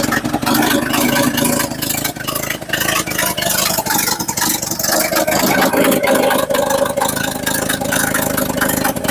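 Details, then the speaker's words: Bought sight-unseen 1963/1964 Chevy C10 stepside six, choke at half (possibly warm): settles into a steady self-sustaining idle, loud and raspy from a leaky, cheese-like exhaust; normal idle. "all right she is idoling on her own now still a little loud cuz well it's pretty much with cheese exhaust"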